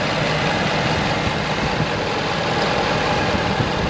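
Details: 2013 Ford F350 diesel 4x4, long bed standard cab, started before a test drive: even, steady diesel idle with smooth low rumble and no knocks or misses; engine sounds healthy.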